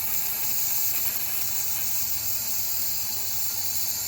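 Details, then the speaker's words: Engine on emissions analyzer with induced vacuum leak via regulator: loud steady hiss over faint idle as air leaks in, running lean; fuel trim climbs to +27. "See, so now at this point we're driving it lean, right? So if we're driving it lean, what are we going to expect to happen?"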